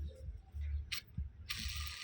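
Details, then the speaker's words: Washing machine spin-dryer motor upper bearing (6201RZ) spun by hand: uneven rattly bursts and gritty rasp instead of smooth spin; cracked, rusted bearing needs replacing. "เนี่ลองหมุนเบิ่งนะครับก็มีเสียงดังแล้วนะ"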